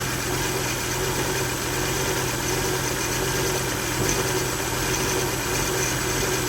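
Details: 2000 Volvo V70 petrol engine at idle with failed electronic throttle module (ETM), codes P0220, P0221, P1600, P1610: shaky, lumpy rough idle, revs bounce three times per pedal tap, some whine; replacing the ETM fixed it.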